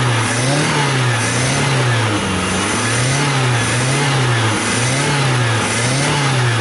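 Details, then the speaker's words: Car after carburetor refit, GNV kit removed and intake manifold coolant passage cleaned, timing set by eye: engine catches and revs in clean, smooth repeated blips without stumbles or knocks; healthy start and rev. "Mas de qualquer forma o motor já tá funcionando bem ala D um toquinho devagar no acelerador só para mostrar como ele ficou legal tá uma maravilha"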